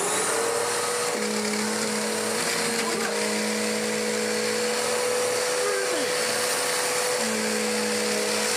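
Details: Dirt Devil DD6114 upright vacuum, an Electrolux Contour clone, long stored in a shed, before restoration, after clearing a clog: steady, even motor hum with clean whine, belt less grumbly than before. Normal running.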